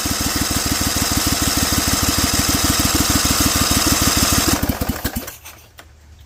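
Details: Rebuilt Vanguard 16HP V-twin with a 23HP carb, cold on choke at 66°F and 100% humidity, open air filter and header letting in too much air: fast, rough, loud popping at about three beats a second, then it stumbles and dies.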